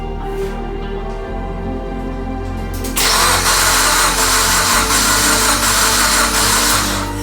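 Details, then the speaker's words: Mitsubishi Evo X engine that sat over 10 years, newly installed, cranked about five seconds to build oil pressure; steady, even starter cranking with no firing or knocks. Normal cranking. "alrighty so we've cranked the car several times a lot honestly uh just to make sure that again oil pressure builds up"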